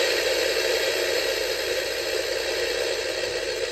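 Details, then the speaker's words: Small portable TV from a junk lot, run on a bench power supply and drawing two amps: steady loud hiss with an uneven crackle and rattle instead of sound as smoke comes out the back; the set is failing, exact cause unconfirmed. "drawing two amps and the - sounds like it's dying and there is smoke coming out the back"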